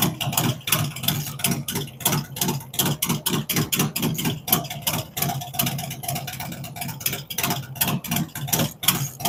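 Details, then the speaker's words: V-twin on first fire-up after Zipper's 468 cam, adjustable pushrods, aluminum intake, 5.3 injectors, existing headers and ThunderMax; loud lumpy potato beat around eighty-five pulses a minute, steady and clean; normal idle. "be a good one good running"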